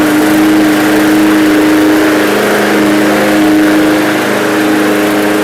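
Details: Free roadside MTD push mower: strong, even buzz at a constant pitch with no misses or surging; the small engine runs smoothly and healthy.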